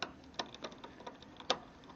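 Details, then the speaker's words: 2018 RadRover electric fat bike, adjusting rear derailleur limit and cable tension: quiet uneven clicks as the chain hesitates and struggles to climb to the next cog until the adjuster is turned; derailleur out of adjustment. "trying to switch up to the next gear so let me see if I can if I can just loosen this or tighten this sounds like it's struggling still struggling there we go"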